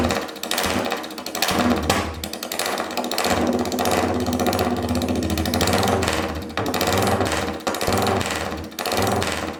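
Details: Royal Enfield 350cc Bullet single on a freshly made custom open megaphone exhaust, recorded indoors where it echoes. Loud, rapid thumping that swells and drops with the throttle, crisp and even throughout; healthy running.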